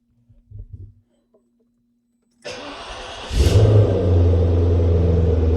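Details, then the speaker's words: 1999 Maserati 3200 GT V8 after repair: starter cranks briefly, engine catches cleanly into a deep, even burble with a crisp rev blip; normal, healthy start and rev. "Tell you what, the noise doesn't get boring. That does not get boring."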